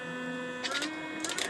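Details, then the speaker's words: Teddy Varimixer W5A after the power cord, which intermittently cut power, was replaced with a tight-fitting connector; steady motor hum with an even tone and brief clatter, running without cutting out: normal running. "that's solid as it should be and of course the unit runs"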